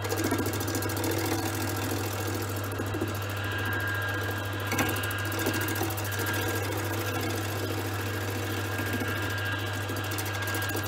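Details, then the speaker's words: Small wood lathe turning a first bowl blank with a gouge: steady low motor hum with a rough, uneven thrum; vibration because the blank is not yet round. "you can see it's vibrating that's because it's still not round it will vibrate less and less have to get more and more round"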